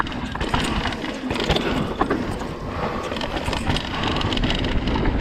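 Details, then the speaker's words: 2020 Vitus Sommet CRS mountain bike ridden at a bike park, recorded on a chest-mounted GoPro: constant tinny rattle over trail rumble, busier on rough ground, from internal cables slapping inside the frame; before fitting split braided sleeving. "Everyone knows if you've got a bike, especially a carbon bike, how annoying the rattle can be."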